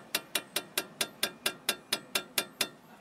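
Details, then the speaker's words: Chery QQ front brake caliper with play, made more likely by non-original pads lacking the metal shim between caliper and pad: a run of sharp metallic clacks about four a second, heard as a suspension noise. "e faz um barulho enorme é por quê que acontece geralmente é mais fácil dar esse barulho quando você não usa a pastilha original"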